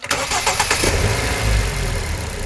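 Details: Ford engine at idle after its power steering pump was cleaned and resealed with new seals and reinstalled; the pump had hummed on starting for half a year, now it settles into a steady idle with no hum or whine: normal pump.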